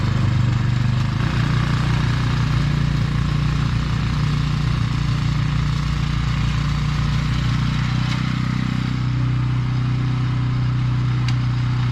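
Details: Husqvarna snow blower with Briggs & Stratton Snow Series engine, morning after carburetor replacement, cold start on electric start with cold oil: deep, steady single-cylinder thrum holding even speed without misses or surging; running smoothly.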